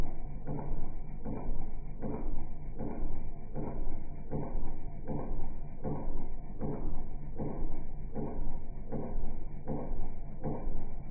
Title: 2015 Polaris Sportsman ETX. Making clicking sound after plowing